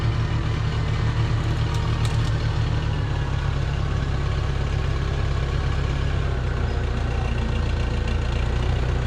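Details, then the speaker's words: 1968 Case 580CK backhoe, 188D diesel, rebuilt after sitting seized from rain; while testing shuttle and gears: low heavy rumble with uneven lumpy beat, no clean rev pickup; runs poorly, owner says it really needs injectors. "Well, it runs not very good. I will say that it really needs injectors"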